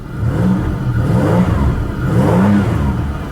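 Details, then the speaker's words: 1999 Pontiac Grand Prix after fuel pump replacement: engine catches and revs up and down smoothly, pitch rising and falling cleanly with no stumble or knock; runs healthy, no fuel leaks. "well here we are runs is it gonna stay running"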